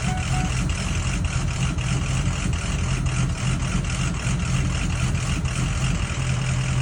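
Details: 6.0 diesel after 30 miles with REVX additive: uneven, lumpy idle with periodic stumbles over a steady low rumble; rough idle, cause not pinned down.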